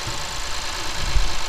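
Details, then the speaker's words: Lexus IS250 after replacing the alternator with a rebuilt unit, serpentine belt and pulleys: even smooth idle with a soft steady hiss, no squeal, chirp or rattle; fixed and quiet. "two new shiny pulleys down there brand new belt everything's nice and tight nice and quiet fixed"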